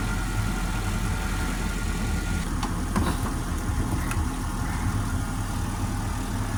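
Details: Car that wouldn't start in winter at -12°C, jump-started with boosting cables because of the cold; brief start transient, then a steady, even low idle with no misses, knocks or rattles. Normal start and idle.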